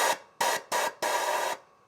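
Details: 1996 Harley-Davidson Electra Glide Classic, rear air shocks' air pump, relay and pressure-release solenoid mounted behind the side cases, switched by the volume up/down buttons: three short buzzing bursts, then a longer steady hum; the compressor runs normally.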